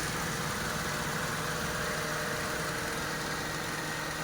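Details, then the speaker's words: Old-model Mitsubishi Lancer at idle, AC on after fitting a universal thermostat in place of the discarded original; compressor that earlier would not run now engages with a smooth steady hum, no knocking or squeal; AC compressor running properly. "Ayan, i-on natin yung aircon. Yun, parang tumunog na doon sa labas yung compressor mga kamaster."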